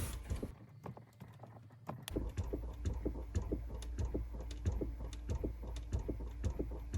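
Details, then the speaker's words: Chrysler Pacifica, engine off, glove box and felt cover removed: steady rapid clicking, about one and a half knocks per second, from the recirculation flap behind the dash; faulty recirculation actuator motor, replacement recommended. "And again, DIYers, that is not normal, and I recommend replacing that actuator. And that is an aggressive sound."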